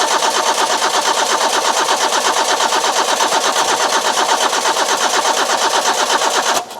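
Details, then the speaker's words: Petrol engine with coil and distributor, fuel poured down the overflow: quick even starter churn about three beats a second, no catch or firing; crank no start, owner suspects lacking spark. "I think we might be lacking in the sparks, you know."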